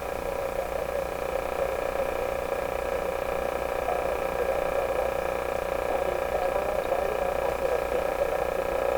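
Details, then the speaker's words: Westinghouse 981X shortwave receiver under dim bulb testing after a capacitor change: a steady hum with several fixed tones over constant hiss. The excessive background noise is either received or inherent to the shop; source not yet traced. "some terrible noise in here now that noise is either being received or it's inherent some noise in my shop"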